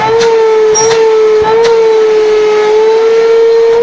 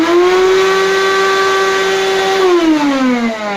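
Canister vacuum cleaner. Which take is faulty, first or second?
second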